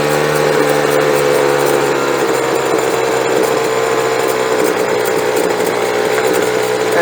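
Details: Small two-stroke leaf blower after new fuel and carb adjustment idles low and steady, smooth buzzing drone without stumbles; slight stutter noted at full throttle.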